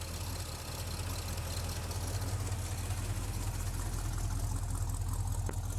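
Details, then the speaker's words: 1975 Chevy C10 V8 after intake work, oil not yet changed, warming up, 50 psi oil pressure: low idle with uneven lumpy beat like a cylinder dropping out, shaking, heavy smoke on throttle; suspected miss, unconfirmed. "Every time I give it stuff, it's smokes like hell. Feel it shaking like it's missing."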